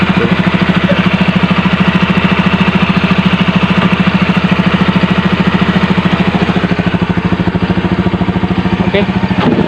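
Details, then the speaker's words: Carbureted Honda Beat scooter, unused about 6 months, kick-started after cleaning combustion-chamber deposits; small single-cylinder putters at a steady, even warm-up idle with no misses or knocks, starting and idling normally despite long storage. "biasa motor Beat ini walaupun sudah lama nggak dipakai namun tetap bisa hidup dengan normal"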